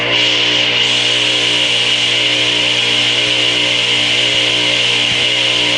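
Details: Craftsman 8-inch direct-drive table saw motor, model S48BRK-1820, 120 V 7.8 A 3450 rpm single-phase, run installed in the saw: a steady, even hum with a constant high whir and no knocks, rubbing or speed wobble; normal motor run.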